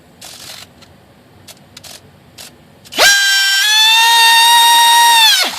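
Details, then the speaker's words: Horizon Hobby F-16 UMX with 3S upgrade, 10 amp external ESC and 180mAh 3S 25-40C battery, after fix for ESC cutting out mid-throttle: sharp rising whine settling into loud steady high tone at 100% throttle, fan and ESC running properly; odd beeping still unexplained. "Gosh, that's 100% throttle there, guys. Do it again. Man, it's just crazy loud."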